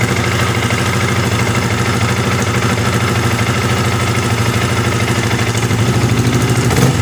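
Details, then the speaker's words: Yamaha R15 after adjusting the cam chain tensioner: steady, even single-cylinder idle with the rough ticking from the top end gone; the fault was the tensioner, not the still-good cam chain. "Di sini suaranya sudah gemitiknya, suara kasarnya sudah hilang Pak ya."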